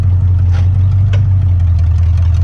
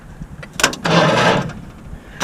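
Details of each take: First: 1959 Ford Fairlane demolition derby car with 1987 Lincoln Town Car 5.0 302 EFI V8, started after sitting; deep, even burble at idle, steady level, no knocks or stumbles: normal idle. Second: 1959 Ford Fairlane demolition derby car with 1987 Lincoln Town Car 5.0 302 EFI V8, sitting a while; short sluggish crank that nearly catches then dies. Starter not frozen; both batteries suspected shot, needs more juice.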